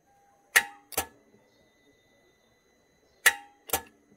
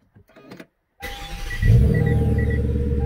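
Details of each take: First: 2009 Hyundai Genesis sedan 4.6 V8, key on, heard from the starter: sharp double clicks about three seconds apart with no cranking; starter fault. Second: 2009 Hyundai Genesis sedan, 4.6 V8, after replacing the faulty starter: quick clean crank catching at once into a firm, steady idle; normal starter crank and start.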